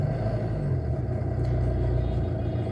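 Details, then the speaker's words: Car started in neutral with clutch fully pressed: low, steady, even rumble with no misses or knocks, smooth healthy idle at about 1000 rpm on the tachometer. "இப்ப start பண்ணி காமிக்கிறேன் வண்டி start ஆகுறது உங்களுக்கு sound தெரியும் rpm பாருங்க ஜீரோல இருந்து 10 இருக்கு பாருங்க"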